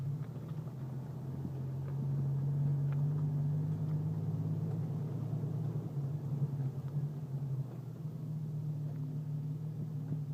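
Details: Jeep leaving a car wash bay at slow speed: a deep, low engine rumble at crawling speed, broken by two loud metallic pops followed by quieter pops.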